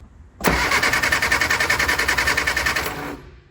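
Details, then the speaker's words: Barn-find Austin Mini 850 pickup stored 30 years, rotor and cap cleaned, spark now present at the plugs: steady cranking at about three and a half turns a second with even compression beats, never catches; no fuel yet. "you can see the spark flashing up here so now if we get fuel I think the engine will run"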